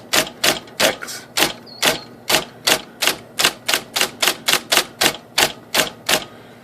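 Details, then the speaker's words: IBM Selectric typewriter (13-inch, carbon ribbon) banging and shaking the bench on certain characters: sharp heavy strikes with a hard bang as the arm jams against the case because one side of the mechanism sits low; fixed by raising the bracket. "it's low the whole side of this machine is sitting low causing just to interfere with the case so this arm moves this causing it to shake the hug case because it's jamming up against the case down here"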